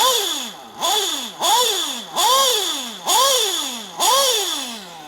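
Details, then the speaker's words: Nitro RC car engine blipped and idling with a constant high metallic whir underneath, like sand in the engine, a second sound that shouldn't be there; worn rear crankshaft bearing is toast and needs changing, otherwise the engine keeps getting louder. "it almost sounds like the drivetrain is turning but it's not so when you hear that you know that your rear bearing is toast and you need to change it"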